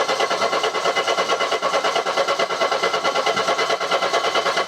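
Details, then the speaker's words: Mercedes W123 230E on restart after running well, first run in about 16 years: starter cranks at an even steady beat, about two compressions per second, no firing; cranks but won't start, cause unknown. "running brilliantly what's going on here this is weird"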